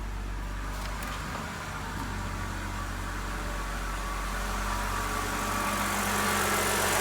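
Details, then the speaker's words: 2013 BMW 328i E93 N52 after replacing the valve cover with damaged CCV diaphragm that caused loud whistling/screeching at idle: steady, quiet idle with even low hum, no screech; fixed. "Perfect. No more idle issue. And nice and quiet."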